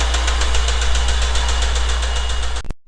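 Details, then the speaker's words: 1989 Honda Prelude 3rd gen, cold engine idling in neutral with manual gearbox, steady sharp knock several times a second concentrated at the bottom end; rod knock, owner suspects damaged rod bearing, before repair. "did you hear that sound this is the sound of death"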